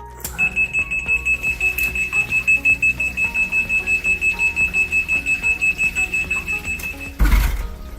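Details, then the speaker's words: Liberty 4441 battery backup sump pump in a three-pump system: shrill steady alarm tone pulsing about once a second, then a thump as it starts; alarm signals a power outage or failed electric pumps. "Donc, au moment où vous entendez l'alarme, c'est soit que vous n'avez pas d'électricité et que la pompe à batterie a démarré, soit que vos pompes électriques sont défectueuses."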